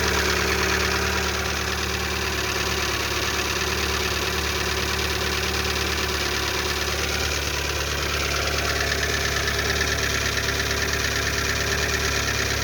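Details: Lada Largus 1.6 16-valve 129 engine, after hydraulic lifters were replaced, at cold-start idle: rapid even ticking, about three a second, over a hum loud from a torn exhaust flex pipe; the knock goes quiet once warm; cold-start ticking.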